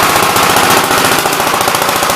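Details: "Big Blue" 53 L single-cylinder engine on a run outside after a cut plate was fitted to patch the cylinder: quick, even, sharp firing pops with no misses or knocks. It shows oil pressure and sounds better than ever, though it leaks oil at the oil pump and the intake hose fell off.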